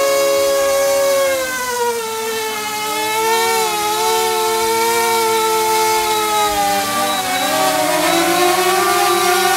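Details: DJI Mavic Air with its original propellers, held in hand with motors at max power: high steady propeller whine with several motor pitches drifting slightly against each other; normal, healthy motors and props.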